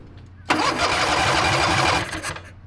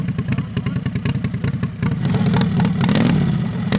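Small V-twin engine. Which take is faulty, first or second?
first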